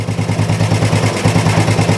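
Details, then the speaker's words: Old Royal Enfield 350 single, first start after long storage: lumpy, uneven low thump at idle, choked-sounding and struggling, smoking; exhaust may be choking it (unconfirmed). Rough idle after long storage, yet best start ever after standing. "I think that's got to be the best one has ever ever started after it's been stood"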